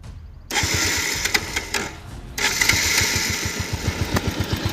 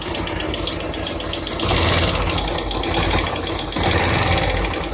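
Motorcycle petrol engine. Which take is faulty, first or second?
second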